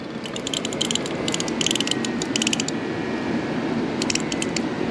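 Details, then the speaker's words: BMW E9x after radiator flush, coolant slightly below max, electric water pump run to prime the system without starting the engine: soft pump hum broken by bursts of fast fine clicking and ticking as air bubbles work through the coolant. "so it's just going to work itself out and that's it that's all you do just wait until it finishes i usually run it a couple more times just to be sure see there it goes again"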